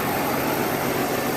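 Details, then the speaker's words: 1991 GMC Jimmy S15 after an oil change, no leaks: short, even engine hum, no knocks or misses; normal idle. "sounds like she's running pretty decent rub her up a little bit so it's running good"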